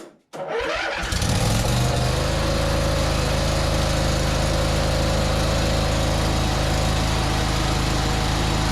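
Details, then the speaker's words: Craftsman ZTS 7500 zero-turn mower, first start after jump-starting a 6.25 V battery and confirming strong spark, using starting fluid; short crank, then catches and settles into a steady, even run with no misses, slight exhaust smoke; runs healthily. "It runs! Woo! Not only that, it runs pretty decent."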